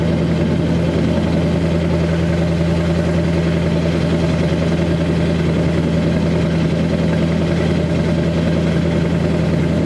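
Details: 2002 Chevy 2500HD LB7 Duramax diesel at 5°F after cold start, Merchant high idle, Airdog lift pump, PPE boost valve, resonator delete; steady even clatter at raised idle, constant low drone, no misses or knocks — normal high idle.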